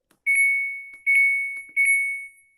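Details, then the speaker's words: Samsung Diamond washing machine: pressing start gives long high beeps and it refuses to start, while power on/off and all other buttons work normally; before the reset-button fix. "Halo YouTube, sekarang saya akan melanjut perbaikan yang di start itu tidak mau, pasti bunyi bip 2 kali."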